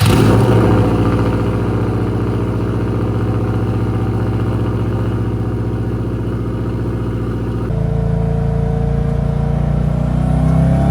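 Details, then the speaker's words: 300hp Subaru WRX-engine-swapped VW Beetle on road test after fuel filter replacement: strong, even pull with smoothly rising note, no stumble or misfire under boost, fuel pressure 60 psi; fixed. "All right, looks like we're back in business. It's fixed."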